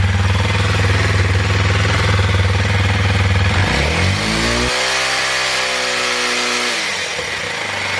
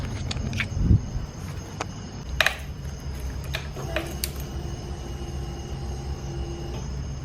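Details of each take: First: 2021 Kawasaki KLX 230 single cylinder after battery replacement: steady even idle with firm low thump, revs and settles cleanly. Normal running; charging voltage 14.2 V, stator good. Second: 2021 Kawasaki KLX230 whose battery had been dying more and more often, left sitting a week. Pressing the starter gives a couple of dry clicks and a weak hum with no cranking: a dead battery, later fixed by a replacement battery.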